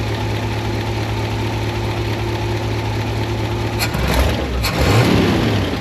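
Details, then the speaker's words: 1972 International 1110 pickup after two-barrel carb mixture screws were adjusted, no longer falling flat. Steady smooth idle, then two clean throttle blips that rise and settle without stumbling. Runs much better, as good as it can be made mechanically. "oh man that sounds so much better they're very close well that's as good as I can make it mechanically the thing's running pretty well right now"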